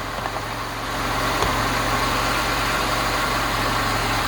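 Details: Lada Niva just after alternator replacement (old unit fried by water), battery light checked: even, steady idle with a smooth firing rhythm and no knocks, squeals or misses; normal idle.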